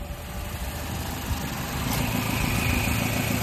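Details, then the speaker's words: Mazda CX-7 during idle speed relearn, after 20 minutes idling, AC switched on: even idle deepens and firms about two seconds in as the AC compressor cuts in, triggered by the PCM, faint whine added; normal. "Yan na, nagte-trigger na yung compressor, aircon compressor. So natitrigger ng ECM ngayon, yung PCM."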